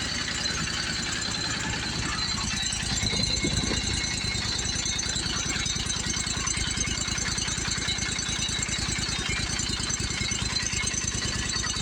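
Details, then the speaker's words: Commercial Briggs & Stratton 25hp V-twin on a Simplicity Champion XT zero turn, heads replaced after a pushrod problem, idle just adjusted. Steady, even fast putter with no misses or knocks. Mower judged in good shape: normal idle. "all right, I think this mower is in good shape."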